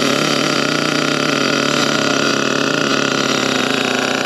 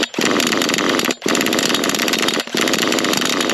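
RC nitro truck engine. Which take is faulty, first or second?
second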